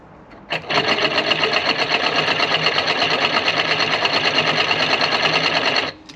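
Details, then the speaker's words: Removed electric vacuum pump from a 2012 Ford F150, bench-run on a small 12 volt supply: fast uneven buzzing rattle for about five seconds, sounds like a bad crank inside; worn, failing pump. "Yeah, it sounds like it's got a bad crank, don't it?"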